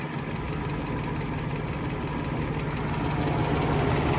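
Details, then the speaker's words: 1994 Mercedes E420 (W124, M113 V8) at idle, smog pump removed: light even top-end ticking about three per second over smooth idle, persisting; owner suspects clogged oiler tube, unconfirmed. "It does seem like the noises are improving. Um, our tick is definitely still there. I'm kind of leaning towards that might be a capped oiler tube, just having it not change much."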